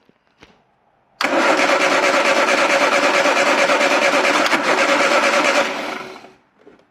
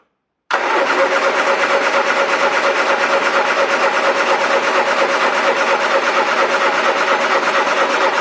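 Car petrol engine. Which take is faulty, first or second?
second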